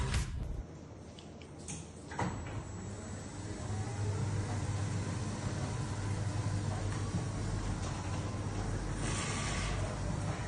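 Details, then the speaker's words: Gant G800/G1000 chain-drive garage door opener after tensioning the chain with a 14 mm wrench: runs with a steady, low, even hum, no slapping or rattling, and the carriage locks properly. "Як ви можете почути і побачити, шина працює тихо і ворота блокуються без проблем."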